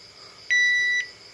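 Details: Panasonic washing machine (about 6–7 kg) that wouldn't power on, after board repair with new power supply and jumper points: one clean high half-second beep in a quiet room; panel powers up and responds normally.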